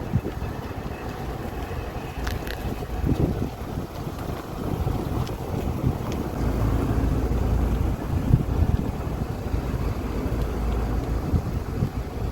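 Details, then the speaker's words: VW CrossFox after front wheel bearing replacement, rolling slowly downhill at about 20 km/h: only low even road rumble and wind, no hum or growl from the wheel; noise gone, bearing confirmed as cause. "ó aí não sei se deu para perceber mas e acabou o barulho é realmente ali foi o o rolamento né"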